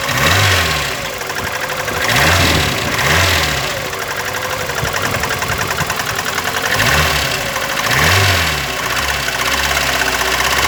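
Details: VAZ 21099, cold engine with repeated throttle blips: sharp metallic knock over the idle that rises with revs; began faint at idle, grew louder after 50 km and then stayed the same, about 350 km driven since; cause not yet found.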